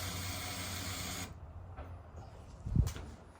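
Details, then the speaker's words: Turbo Honda Accord CB7 build with a new Hellcat 525 fuel pump and E85 flex fuel sensor, key on before the first start: a short steady whirring hiss for about a second that cuts off cleanly; normal fuel pump priming. "I'm a little scared to crank it up cuz listen at the fuel pump and how much fuel is coming out of these"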